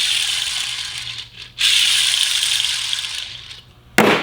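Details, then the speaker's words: Smaller ball bearing shown during the Orwell truck transmission rebuild, hand-spun: dry gritty, scratchy hiss fading as it coasts down instead of smooth; worn out. "these are ball bearings but smaller version of what was here by the way this one"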